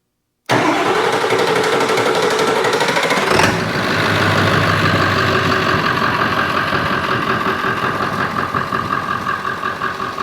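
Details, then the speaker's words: Ford F350 7.3 Powerstroke diesel, body removed, being diagnosed for hard start/long crank; starter fed via jumper wire past failing relay box: about three seconds cranking, then catches into an even, steady diesel idle, no misses; normal start and idle. "running smooth isn't it"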